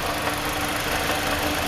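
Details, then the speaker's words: 2015–2017 Toyota Corolla engine at idle, noise checked with a hose and traced to the water pump, before replacement; steady mid-pitched whir with gritty rasp, constant; worn water pump bearing noise. "This sound, we check it by hose. The sound's coming from the water pump. We bring new one, we're gonna change it."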